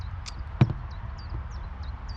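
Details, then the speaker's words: FX Crown MK2 .22 FAC air rifle with a 500mm barrel, fired after a power-loss repair with the hammer spring nearly maxed. One sharp crack, then a faint hiss of the plenum refilling. The shot cycle is normal. "plenum refilling you can hear a little when it's very quiet you can hear a little of it refilling"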